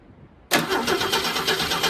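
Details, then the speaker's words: V8 on a 1971 Ford Torino or 1937 Plymouth catches briefly and runs roughly on fuel added by hand: fuel delivery problem, not spark plugs; no valve train noise, slight exhaust leak. "Yeah. So we've got a fuel delivery problem. It's not the spark plugs."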